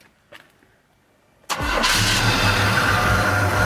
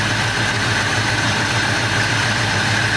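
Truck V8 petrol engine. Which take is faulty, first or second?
second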